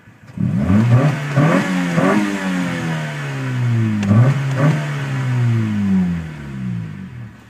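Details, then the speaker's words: 1992 Honda Civic LX, about 172,000 miles, converted from automatic to a 5-speed manual. Idle: mixture slightly rich, then normal; manifold pressure and voltage good. Three revs with pitch climbing quickly and dropping cleanly to idle. Very fast throttle response, healthy. "very fast response"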